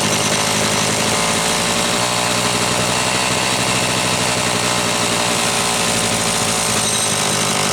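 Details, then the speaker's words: Homelite Super XL chainsaw being diagnosed for boiling fuel and overheating, after a starter spring fix and a new spark plug: slow, even two-stroke burble holding a steady low idle; idle screw backed far off, evidence it had been running lean. "but I want you to listen to How Low this is idling and see how far this is backed off further evidence that she was running leaned um"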